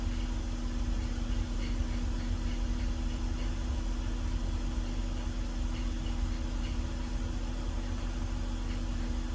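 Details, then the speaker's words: BMW E46 at warm idle after replacing the CCV system to fix a vacuum leak and two of six bad coil packs: smooth, even idle with a low hum, far smoother than before; a faint pulley whine remains, suspected idler or pulley. Misfires now cured. "wait this is the smoothest this car has run though like by far like I this is running insanely smooth compared to what it was not even 5 minutes ago"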